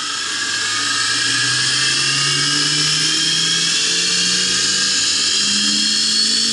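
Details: Prototype center-tracking assembly, steel wheel on a shoulder-bolt axle, run to high speed for the first time. High whir with wandering tones and scraping; the bearing race rubbed the wheel, overheated, expanded and seized it. Wheel needs redesign.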